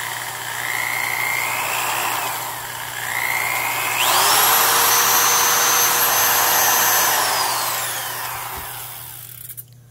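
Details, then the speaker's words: Black & Decker Professional 1/2-inch drill model 1309 with sleeve bearings, free running: clean motor whine climbing with trigger, holding steady, then winding down smoothly; normal free running. "I mean, it does sound nice."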